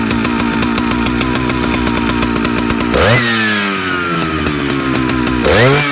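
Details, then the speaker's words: Big Jonsereds chainsaw: choppy lumpy burbling at low speed, then screams up and drops back, hunting; owner suspects fuel line or seals (carb kit) needed; uneven running, surging. "probably wouldn't hurt to check into the fuel line Corp kit and put some new seals in this monster because it's uh it's you can kind of hear coming in and out is hit or miss"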